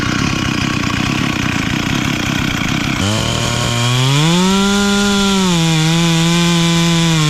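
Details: Stihl 044 chainsaw rebuilt from a blown motor with a cheap Amazon cylinder, piston and carburetor kit plus an OEM coil, carb tuned for summer: rough chatter through the cut, then clears to a clean, steady high scream; running strong.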